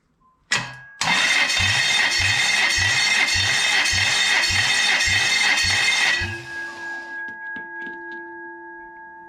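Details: 29-year-old Toyota 1UZ-FE V8 on a bench, compression test of cylinder one: starter whirs with an even puff-puff beat about two per second for five seconds, then spins down; reads about 230 PSI, strong equal compression, others around 220.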